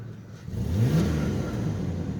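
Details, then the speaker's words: 2005 Ford Ranger V6 automatic, revved in neutral or park; engine climbs quickly then holds flat at the normal limiter around 3,000 rpm. "That's one thing I never understood about Fords, is they all the V6 Fords that I found have a limiter at 3,000 when it's in neutral or in park. You can't really rev it up, but maybe if it was a manual it would be different."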